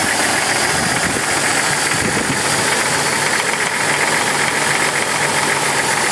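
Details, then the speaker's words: 2000 Jeep Cherokee XJ six-cylinder at idle: harsh fast top-end ticking, about four a second, diesel-like clatter, worsening over time; owner suspects a sticking lifter, plans lifter replacement. "I guess I will show you guys what the lifter tick sounds like these things sort of sound like diesels it's pretty horrible sounding but it's not the end of the world for these [Music] motors"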